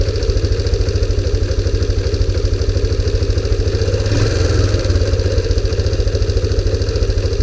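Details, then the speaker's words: 2001 Kawasaki Bayou 300 after the timing adjustment: the single-cylinder idle thumps at a quick but uneven beat, surging mid-clip; rough idle, owner considers a CDI swap or checking for an intake vacuum leak, cause unconfirmed. "seems like skittish like a uh like a feral cat you know anyway obviously it still needs some more love and attention"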